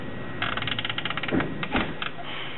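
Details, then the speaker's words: GM instrument cluster (Escalade, same as Silverado/Tahoe/Yukon) on bench test: trans temp gauge stepper motor gives dry ratcheting ticks, jumping and grinding instead of running smoothly as needle sweeps; indicates failing gauge. "can hear it doesn't run smoothly it just jumps and grinds"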